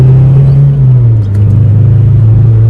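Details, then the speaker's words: Mazda 323 driven hard, loud deep engine drone with an uneven stumbling pulse from a bad misfire, held in second gear, stuck around 50 km/h. "hear the misfiring bad down a second hard on the brakes"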